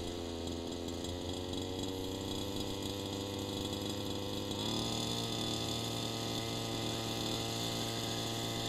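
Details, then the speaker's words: Gas RC engine warming up at about 45 °F at the flying field, low-speed needle turned rich: uneven burbling idle, consistent four-stroking with exhaust smoke, cold weather helping; rich low-speed needle. "you can hear that it's for stroking a lot of the time now that would why like this there's no question that hold weathers helping but it would not be ideal you see some smoke coming off of the exhaust and the four stroking is pretty consistent"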